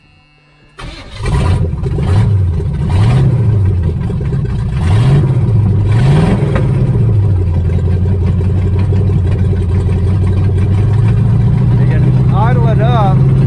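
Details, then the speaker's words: 1978 Chevrolet Nova V8, abandoned 25 years, push rods and lifter just replaced, carburetor from another car: revs surge unevenly then settle to a low, loping uneven idle; idle suspected too low or distributor needing slight adjustment, unconfirmed. "Sounds like the idle's too low right there. Or the distributor just needs to be adjusted a hair more to make it idle good."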